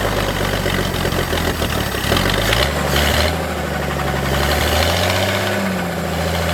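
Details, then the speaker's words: Old forklift engine during rebuild, fuel pump relay reinstalled after rewiring: engine note sags and wanders, briefly catching as it starves, then dies; fuel pump not running on the wiring, confirmed with relay tester; stalling from fuel starvation. "and it's dying so we know right there that that pump is not working"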